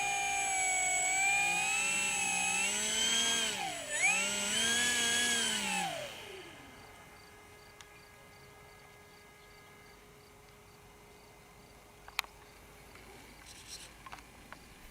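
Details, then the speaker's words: Durafly T-28 Trojan 1100mm RC plane: loud high-pitched electric whine bending up and down, then faint steady buzz; air brake servo straining against its end stop, fine in second position, sub-trim unable to fix it. "What's that sound? Yeah. The air brake. If I put it in the second position, it's okay, but I wanted to sub-trim it so it would open a little so it won't scream, but I can't."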